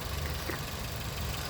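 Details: 2001 Nissan Altima, 139,000 miles, after a crank-no-start was fixed by swapping the distributor and crankshaft position sensor: a soft, even, low idle hum with no misses or knocks. Normal idle.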